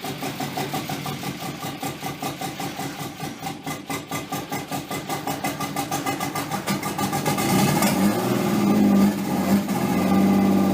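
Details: Nissan 240SX S13 with swapped RB20DET, first start after over a year sitting and a crank angle sensor repair: long slow cranking, hard starting, then a steady idle that is way too high; owner suspects slight oil burning.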